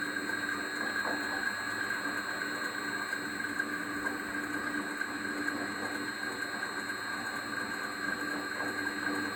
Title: Pulley noise after belt adjustment